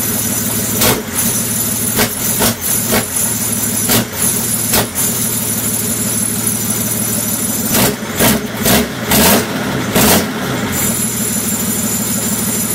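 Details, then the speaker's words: BMW M57 diesel destined for a Land Rover Defender, started on the engine stand after a day of cranking; loud, raw, unsilenced clatter with no exhaust pipe fitted, running steady and even with no misses. Normal running. "sounds like a bit of a pig at the moment because there's no pipe in the box it runs"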